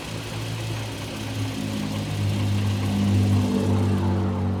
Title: 2011 Infiniti G37X Sedan Rattling Noise? Help?